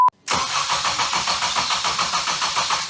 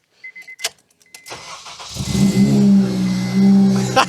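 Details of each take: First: Supercharged Ecutek-mapped FN2 Honda Civic Type R after new starter motor, knock sensor and thermostat: fast, even cranking about seven pulses a second that never fires; crank-no-start, a selected Ecutek map prevented starting. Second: Supercharged ECUTEK-mapped FN2 Honda Civic Type R after new starter motor, knock sensor and thermostat, coolant drained: a few clicks, then catches and settles into a strong, even idle with a slight beat; normal start.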